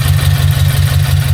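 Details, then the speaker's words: Subaru BRZ, newly fitted unequal-length headers with stage 2 tune, after a leak on first start was fixed by tightening the joint and moving the gasket: deep, even idle, steady low throb, no ticking or puffing; header joint now sealing, normal idle. "So, I was able to tighten these a little bit more and uh move the gasket a bit. And uh seems to be okay right now."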